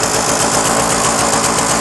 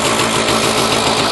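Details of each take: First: Puch MS 50 moped, 39,375 km, two-stroke, idling as the clutch is engaged: steady fast even idle with no whine from the clutch, sounding healthy. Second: Puch MS 50 moped, 39,375 km, two-stroke, just started: steady fast buzzing idle with even beat, perhaps idling slightly high.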